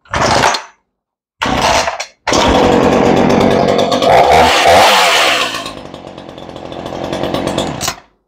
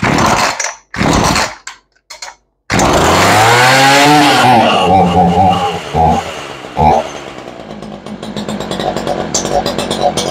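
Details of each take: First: Ryobi 3818 chainsaw after carburetor rebuild, long unused: revs then settles to a steady, even idle just slightly low, no stumbling or stalling; sounds healthy. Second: Ryobi 3818 chainsaw that sat all summer, just after carburettor and fuel diaphragm work, lid off, on choke: revs surge and sag instead of settling to a steady idle; carburettor needs adjusting.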